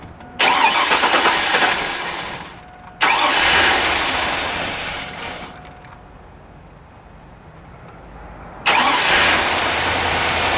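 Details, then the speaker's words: 2001 Chevrolet Tahoe 5.3 V8, rear-wheel drive, rough when first started: long cranking, uneven idle with popping back through the intake from a lean condition; fuel pressure about 25 psi versus 55–62 spec, fuel filter already changed; replacing the fuel pump cured the misfires. "here's the back fire and I was talking about through the intake you can hear that popping sound that is very inherent of running lean conditions"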